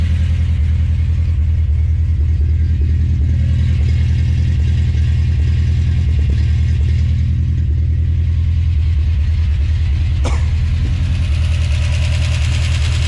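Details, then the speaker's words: 1970 Plymouth Duster 340 with what is probably an old, worn truck V8, first start attempt: lumpy, uneven idle with deep rumble and a beat that stumbles now and then; one cylinder misfiring. "um so it is indeed missing you can hear"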